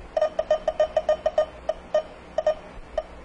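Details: Electronic refrigerant leak detector probe on a car AC system: sharp mid-pitched beeps, quick at first, then slowing and spacing out as it picks up refrigerant near the leak.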